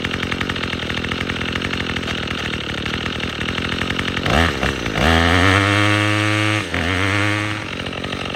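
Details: Troy-Bilt TB22EC string trimmer that wouldn't start after sitting, after primer bulb replacement: engine catches and revs up cleanly, pitch rising and falling smoothly with the throttle, no stumbling; running properly.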